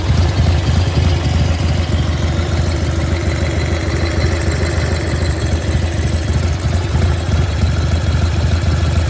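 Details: 1995 Harley-Davidson FXSTSB Evo V-twin at idle: lumpy beat with an uneven, loose knock about three times a second; strange noise, cause not pinned down.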